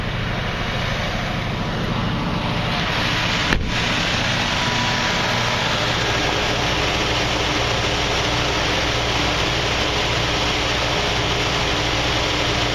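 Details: 1979 Jeep CJ-5, one owner, AMC 304 two-barrel V8, under-hood view: even rumble settling to a smooth, steady idle with no ticks or stumbles as it warms and comes off the choke. Normal idle.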